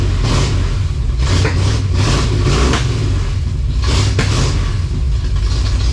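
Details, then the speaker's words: 1956 Chevy after new brakes and timing setup, high-stall converter fitted: deep lumpy idle with uneven beats and occasional stumbles, sounds like a misfire, cause unconfirmed. "while she runs uh sounds like it's got a miss for sure so that's a bit of a concern"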